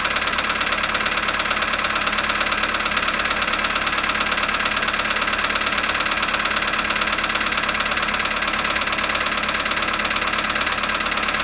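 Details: Polo Sedan at −5.5°C after standing 18 hours, 18,618 km; fast, even ticking knock about twice a second over the cold idle throughout; engine knock at cold start, cause unknown.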